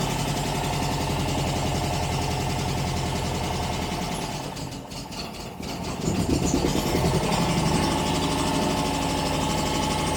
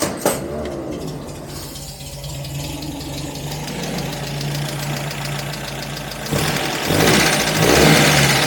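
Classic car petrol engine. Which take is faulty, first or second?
first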